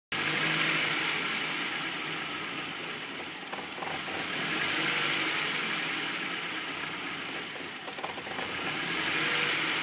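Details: 1998 Ford Fiesta Zetec 16v just after cold start idles unevenly, surging from near stalling up to about 2000 rpm every few seconds; cause unknown.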